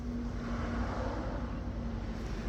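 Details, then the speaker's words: Toyota Camry 2000 radiator fan after repair of its previous noise and wobbling vibration: a smooth, steady whir with a low even hum, with no rattle or imbalance now. "ahora ya no hace ruido Ya tampoco balancea a mis amigos"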